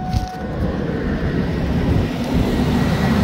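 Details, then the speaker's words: 2004 Ford Expedition 5.4 V8 just after replacing alternator and serpentine belt: engine starts and runs steadily with a smooth, building roar and no rattle or chirp from the front; belt drive sounds healthy. "Now it sounds good."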